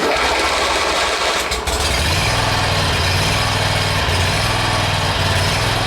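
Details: 1996 Cub Cadet tractor after starter removal and repair, starter previously spun without turning the flywheel; brief crank then catches and settles into a steady, even putter with no grinding; healthy start.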